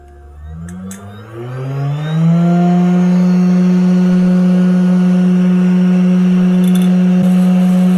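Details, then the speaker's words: Cheap 500W air-cooled CNC spindle at full speed with no load, measured 50 cm away, peaking about 75 dB. Loud steady hum with a high whine; most noise comes from vibration. Owner doubts it is truly 500 W, as it draws about 80 W. "so it peaks out about 75 db not too bad but of course there's no load on it but still most of the noise just comes from the vibrations"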